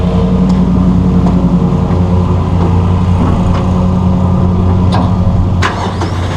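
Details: Massey Ferguson 1739E compact tractor driving a RhinoAG TW25 3-point rotary cutter via PTO after hitch setup: steady low drone, cutter turning evenly, no knocks or grinding; normal running.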